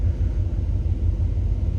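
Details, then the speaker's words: Freshly finished OBS truck cruising on the road. Steady deep rumble with no knocks, whine or misses; owner says the engine and transmission sound good. "I'm glad it's running. Everything's running perfectly. The engine's good right now. Transmission sounds good."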